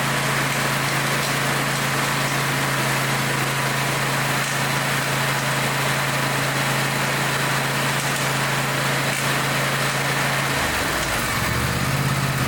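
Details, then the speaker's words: Small engine with a broken-off spark plug: a harsh, rattly clatter over a steady hum. A spark plug fragment is trapped in the cylinder making the racket; teardown planned. "that don't sound good that's pieces of spark plug I guarantee there's piece of spark plug in there and it's like a kidney stone and it won't pass through and it's making that horrible racket"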